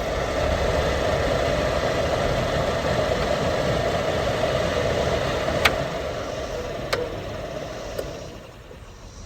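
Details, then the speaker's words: 2004-2008 Ford F-150 HVAC after replacing the blower motor with a new one, following resistor replacement: constant airy whoosh with steady mid-pitched hum, no wavering or rattle; blower now working properly. "Alright guys, so it was a success. Look, it's blowing the box lid. You can hear it."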